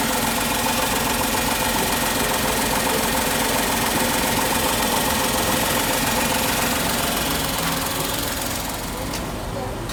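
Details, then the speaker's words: Tata Tigor BS6 three-cylinder petrol engine idling, measured outside with the bonnet open: an even, steady idle with regular injector tick and no knock, peaking at 74 dB, quieter than the older version. "the peak one it touches up to 74 that's actually good comparing to the older version the bs6 version has been improved a lot"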